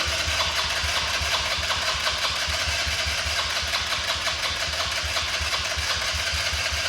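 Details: RZR 800 that sat a long time, first try on a new battery and fresh gasoline: small single-cylinder engine rattles and runs unevenly at a fast idle with a lumpy rhythm. Very dirty, full filter found; owner says it needs a carb job. Rough running after storage.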